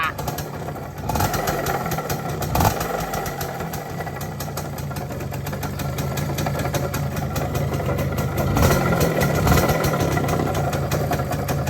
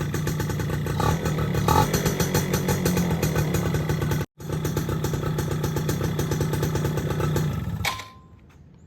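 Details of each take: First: Yamaha F1ZR two-stroke motorcycle, not run for a long time, running with a coarse, rough rumble; owner blamed the clutch housing, but the mechanic judges it is not clutch-related and suspects worn crankshaft bearings, noting the crank has heavy fore-aft play. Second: Yamaha F1ZR two-stroke motorcycle idling steadily and evenly with no grinding, then shut off, after rebuild fixed a loud clutch-housing noise caused by a worn, loose bearing.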